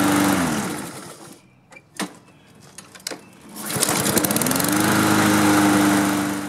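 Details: Husqvarna self-propelled mower with Honda engine, after the no-spark fix, new air filter and fuel turned back on: a few quiet clicks, then it fires and settles into a steady, even buzzing run with no misses or surging.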